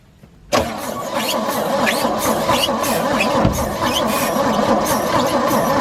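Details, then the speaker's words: 1963 Chevy C10 pickup sitting for years, fresh fuel and filter: sluggish, uneven cranking about 1.5 turns a second, never fires; no fuel reaching engine, owner suspects weak battery; slow cranking, no start. "see if this helps but it still doesn't sound like the battery has enough juice"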